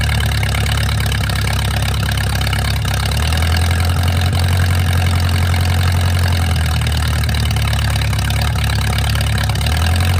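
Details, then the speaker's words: Mercruiser 470 3.7L marine engine, first run in 16 years after fuel reached the carburetor; deep steady idle around 220 pulses a minute, even and unbroken, slight pitch shift midway. Automatic choke not working properly, owner suspects his wiring. Normal idle. "there you go it's alive finally I got the got it running so I'm really happy about that"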